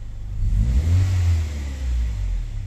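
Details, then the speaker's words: Honda Civic VTi VTEC automatic with idle dropping on aircon, after adjusting the idle air screw, aircon off: revs climb smoothly then drop and settle at idle without bouncing; normal rev return. "Rev 3.5. Walang bounce. Ayun, walang bounce."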